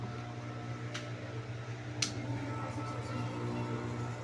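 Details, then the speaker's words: Electric fan that hummed but wouldn't spin, after replacing the shaft bushings: steady even hum at speed, running strongly. "So ayun, okay na siya. Malakas."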